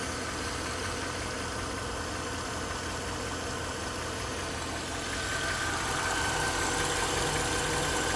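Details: Mercedes-Benz GL 500 with M273 V8, 72,500 km, idling with a steady knock of two to three per second under the smooth hum; cause unknown.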